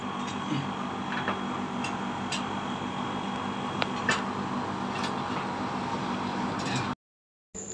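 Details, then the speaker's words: One-year-old Daikin AC that blew only air, outdoor compressor after a new capacitor was installed: steady even hum with faint low drone, no knocking or rattling; starts and runs normally, clamp reading about 29–30 amps, pipes getting cold. "compressor is normal, guys, now let's check using pliers , how many amperes are here, after we check 30, 29 now this is normal"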